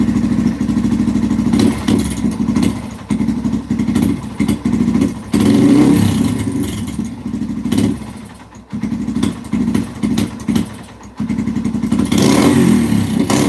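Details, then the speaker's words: 2005–2009 Yamaha TTR-230 single-cylinder: idle pulses unevenly, sags and nearly dies between throttle blips, runs well only on choke; suspected carburetor fuel starvation, idle dropping and stalling. "oh shoot I mean a little bit better but not not much it's still falling flat on its face holy cow what the heck did the customer do to the carburetor it's like it's just not getting enough gas"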